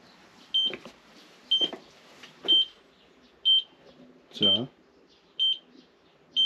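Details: Water-leak detection in a small factory using tracer gas: short high-pitched beeps about once a second, steady and regular, as the detector picks up gas escaping at the leak.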